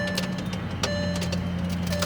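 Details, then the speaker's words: 2004 Bentley Continental GT rear window, switch pressed to raise it: steady motor whir with scattered clicks and rattles while the glass fails to rise; window regulator broken inside. "hear that that's not a good sound so what that means is the regulator is shot there's probably something broken inside"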